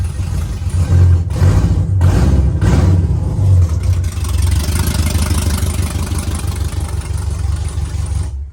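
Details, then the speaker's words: Engine with mechanical DOD delete still active in the tune, before DOD/speed limiter tune removal: deep, lumpy, uneven idle with an irregular lope, running on only 4 cylinders, two per side; DOD suspected as cause. "But you're gonna hear it. This is the 4-cylinder."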